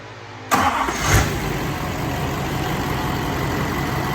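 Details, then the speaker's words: LBZ Duramax diesel engine swap, first run: starter catches at once, engine settles into a steady even idle with no funny noises, occasional slight lope the owner attributes to the lift pump; normal start and idle. "like that motor sounds good no funny noises there's a cts2 it's got a little lope sometimes"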